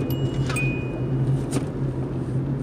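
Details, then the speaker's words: 2007 Kia Rio sedan at idle: bright chime ringing over the low idle hum every few seconds even with the seat belt fastened; seat belt warning chime keeps repeating, cause unknown. "it even with the seatbelt on it will just keep going off every five seconds"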